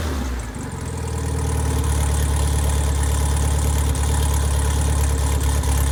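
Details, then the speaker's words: Freshly rebuilt engine FM95049UCE, good compression, oil pressure and water temperature: deep, even low rumble settling steadily as revs rise slightly, no knocks or misses; healthy running after rebuild. "I'm very pleased with all the parameters, the oil pressure and the water temperature it holds, and the compression."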